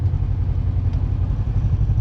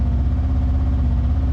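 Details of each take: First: Kawasaki KRX (2020-2024) after adjusting away a high idle that was causing shifting problems: even low idle pulsing about four beats a second with no hunting or surging. Idle is now where it should be and shifting works properly again. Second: Kawasaki KRX high idle around 1,800–1,900 rpm instead of about 1,200, idling even higher in gear with big lurch and refusing to upshift; steady low drone; high idle from misadjusted throttle position sensor.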